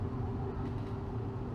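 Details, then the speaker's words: 1997 Chevy C1500 pickup that sat about 8 years, cruising on the highway at about 60 mph (80 on the dash) with window up; steady low engine and road drone with no knocks, bangs or rattles, just a flapping tarp. Oil pressure, charging and temperature were good. "Beats bangs or rattles that's just that I hearing is it me leaning against this door I hear that that tarp"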